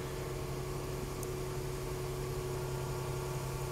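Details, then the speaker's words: 2014 Range Rover with intermittent start-stall and no-crank, blamed on a module dropping off communication: quiet, steady idle with a constant low hum and no stumble or misfire; the fault would not reproduce. "and it does incredible i can't get this thing to act out on camera even though it's done it plenty of times to me"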